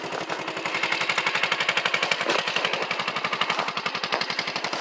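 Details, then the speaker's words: 1984 Honda ATC 200S single-cylinder idling at 32°F in Ohio, not completely warmed up, with a new exhaust header and muffler; crisp, even exhaust pops about eleven a second with no ticking and no smoke, so normal idle. "It's not completely warmed up, but I am going to start it. But listen to that. No tick and no smoke."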